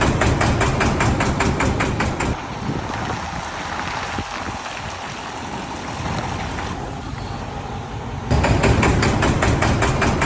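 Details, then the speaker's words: MAN D28 common-rail diesel idling with a sharp regular knock and white smoke; injector balance readings point to the second injector, suspected debris in its control valve orifice or a seized nozzle. "Ну, как вы видели, у мана проблема со стуком и с дымом. Чаще всего это мусор в управляющем отверстии либо в распылитель заклинившие. Скорее всего, проблема в управляющем клапане."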